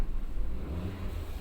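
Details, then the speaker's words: Tata Zest petrol after replacing a faulty cord set (misfire, stalling, injector 1 flagged): quiet even low idle hum, no missing beats or stalling dips; scanner shows no fault codes, misfire solved. "तो फ्रेंड्स अपना miss fire का problem solve हो गए।"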